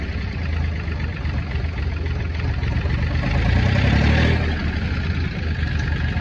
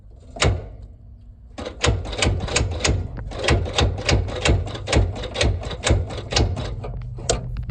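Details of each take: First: Ford Industrial 420 diesel backhoe, reportedly unused a month or two, held at high idle with a rock in the throttle: fast steady even beat, clean throttle response, no knocks; healthy. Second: Ford Industrial 4500 gas loader tractor, sat a long time: starter clunks and grinds in slow labored bursts about once a second, barely turning; engine locked up, owner assumes it is full of water (or gas), unconfirmed.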